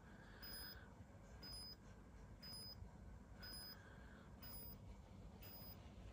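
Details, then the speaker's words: HP Smart Tank 500/516 printer during head ink charging after air got into the ink pipes: quiet high beep about once a second over a soft mechanical hum, no message on the display; ink charging cycle in progress. "देखिए अभी कॉन्टिन charge कर रहा है [संगीत] लेकिन display पर कोई भी मैसेज नहीं ए रहा है कोई मैसेज नहीं आएगा यहां से पूरा हेड को यह इससे पूरा क्लीन करता है"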